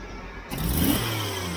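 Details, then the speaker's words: Jeep CJ-7 after lowering a fast idle: engine revs up cleanly and settles to a smooth steady idle, stumble cured; owner believes the old connection gave too much idle. "I think I've cured my stumble that's perfect that's perfect I don't know that it's ever run that good"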